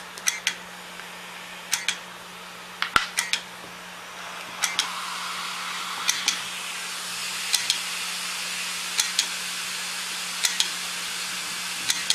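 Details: Hard drive clicking: sharp dry clicks in pairs, about twenty a minute and uneven, over a faint hum; the drive is failing.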